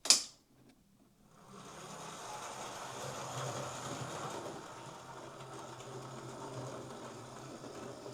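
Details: Old Hornby Class A4 Mallard model locomotive, after repair of a botched DCC conversion, final test with tender body refitted: faint, light whirring staying even over several seconds with no stutter or grind; small motor running smoothly.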